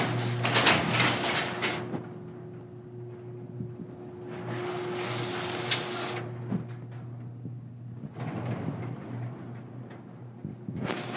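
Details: Garage door closing on its opener after reassembling the arm bracket, held by pop rivets, on the sagging section: grinding in its tracks with a steady motor hum, then sharp pops and clunks as the section drops; still popping.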